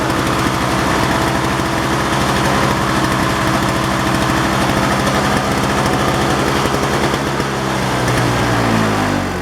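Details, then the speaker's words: Toro CCR 2450/3650 small two-stroke, after a carb clean for hard starting from bad gas/oil mix. It holds a steady high buzz at full throttle off choke, with even firing and no surging or dying: normal running. "all right it's running good now that's it I guess it's all cleaned out"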